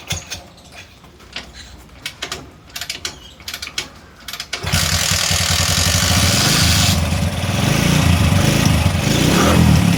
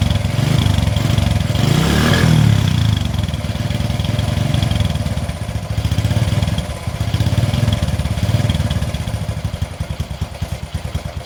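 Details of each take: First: 20-year-old Bajaj CT 100 single after spark plug cleaned and set: a few kick-start clatters, then it catches at once into a steady, even beat; starting problem fixed. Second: 20-year-old Bajaj CT 100 single before repair: deep, uneven thumping that stumbles and surges before a ragged run; hard starting, weak spark at plug suspected, later fixed by reducing plug gap.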